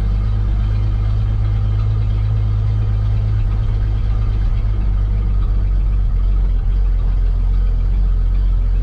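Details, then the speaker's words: Old cabover truck started after dumping fuel into carburetor, adding gas, jump-started battery, fuel filter tapped to free possible clog; deep steady low rumble idling evenly, no knocks or misses, running fine. "well obviously as you can hear we got this thing running i had to dump a little bit of fuel in the carburetor and uh added some more gas because i just don't think i had enough in there"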